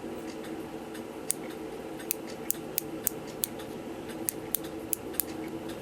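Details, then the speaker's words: Regula 25 cuckoo clock, chain wheel removed during repair of a broken chain wheel: turning the chain gives crisp, light, evenly spaced ratchet clicks, two to three a second, as the click tabs snap into the slots; normal ratchet click. "Anyway, you can see how those clicks are supposed to operate. When I turn the chain, you hear them clicking."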